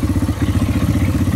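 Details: Yamaha Timberwolf 250 ATV restarted after long storage. It has a steady, even single-cylinder thump at idle with no knocks, and voltage rises from 13.15 to about 14.4 V, showing the stator and charging system work.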